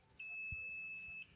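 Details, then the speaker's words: Power cable that trips the electricity when plugged in, tested with a digital multimeter across both conductors: one clean high-pitched continuity beep holding about a second, same either probe direction; cable is shorted. "Jadi kita tempelin ke sini satu, ini satu, tuh bunyi ya, berarti ini konslet. Ini bolak-balik sama aja ya,"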